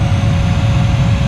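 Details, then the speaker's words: 2009 Dodge Ram 1500 AC/heat blower motor just replaced, on high speed: thin steady whine over loud rushing airflow, possibly a slight clicking; new blower motor still whines somewhat. "all right since almost like a wine a new wine enjoys at high but I tell you that almost like a clicking noise to"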